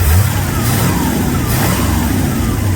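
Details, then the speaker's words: 1968 Corvette, slightly modified V8, after stripped distributor drive gear knocked ignition out of time, back together and running: loud, steady, even rumble with no misfire; running properly, fuel leak and timing check still to do. "But it's back together and running. Now we got to do some other work on it."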